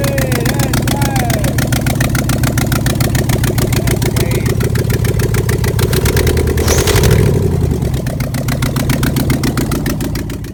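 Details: 1988 Pontiac Trans Am with 5.3 LM7 LS swap after wiring completed: even, steady V8 idle loping at a constant pace with no misses, knocks or stalling; engine runs fine.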